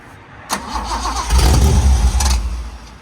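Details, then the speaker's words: Abandoned 1972 Datsun 240Z, L24/Z24 engine with open header, uncleaned carburetors fed from boat tank after ether starts: cough and catch then low fairly steady idle on gasoline – normal idle. "We're off to a good start. All right, cool. That's on gasoline from our boat tank, idling."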